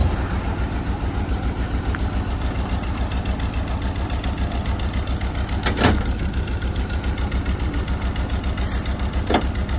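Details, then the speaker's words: Box truck with low compression, being run on Engine Restorer additive: a loping, uneven idle with beats dropping out every few seconds and an irregular chuff, missing badly at idle. "Is that more than it did the day you were at the... I think it ran a lot like this. Yeah, I mean, she's missing pretty good."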